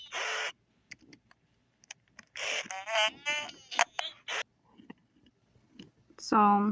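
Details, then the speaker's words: 1998/1999 Furby: buzzy, crackling chirps with sharp pops and pitch sagging then recovering; the speaker is slowly dying, getting worse and heading toward mute, and is to be replaced. "You can hear how the voice pitches go down and then they go back up. You can really hear the distortion. So you can hear how she's actually progressed worse."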